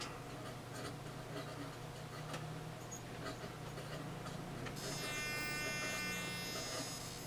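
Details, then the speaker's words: HYE Energy Wind 2 1000 W 24 V wind turbines (two, 2000 W total) in roughly 13–25 mph wind: wind rush, then a high electrical buzz cuts in as the diversion load kicks in at 30–30.1 volts; normal operation. "every that sound that's the diversion load kicking in we just hit 30 30.1 volts"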